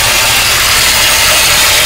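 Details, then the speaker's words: 1953 Oldsmobile Rocket Super 88 barn find, idling with no exhaust system: a harsh, hissy grinding runs continuously over the idle. The owner first suspected the power steering pump, then the starter Bendix not disengaging from the flywheel, and plans a new Bendix. "I figured out what the noise is I've had it except I got like a power steering pump it something lighting"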